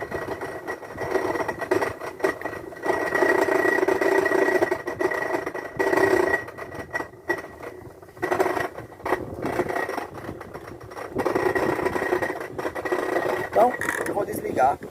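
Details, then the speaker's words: Washing machine that will not drain, heard during the spin cycle with the microphone held close (not bearings or mechanism): fast, uneven rattle over the drum hum, caused by a corroded, broken piece loose inside the drain pump; fix is replacing the drain pump. "aí esse barulho era essa pecinha aqui dentro batendo ok que é que a gente faz agora a gente vai substituir essa bomba de drenagem"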